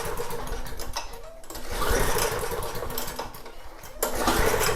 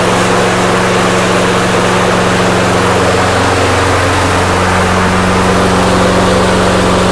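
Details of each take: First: Snapper mower engine, long-stored with leaking fuel tank: quick pull-cord bursts spin it but it never fires, slowing each time; no spark even with new plug, plug wet, traced to grounded kill wire. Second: Snapper mower engine after carburetor jet cleaning holds a smooth, even drone at steady pitch with no misses or surging. It runs properly.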